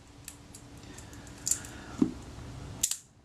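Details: Kodak Retina Reflex IV shutter, adjusting the retard gear train position for the slow speed: crisp opening click with the closing click close behind it; slow speed timing a bit fast before readjustment.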